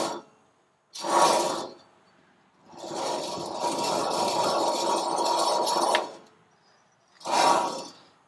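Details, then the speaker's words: Old wheel bearing hub assembly spun by hand gives a dry, coarse grinding rasp through the whole spin, while the new assembly is nearly silent. A worn, bad wheel bearing, to be replaced. "so we have successfully diagnosed that this wheel bearing is in fact bad so we're going to go ahead and just replace it with the new one"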